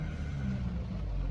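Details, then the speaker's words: 59-plate BMW Z4 E89 sDrive 2.3i petrol, six-speed manual, fairly warm after eight miles: brief quiet, smooth low rumble after push-button start, no knocks or roughness; starts nicely, normal idle. "starts nicely all the warning lights will go out"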